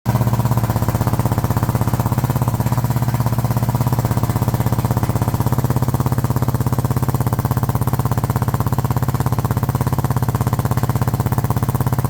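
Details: Suzuki DR650 Dakar SP41B single-cylinder idling with heavy even thump about three times a second and a hard knocking edge; abnormal engine noise, cause unclear.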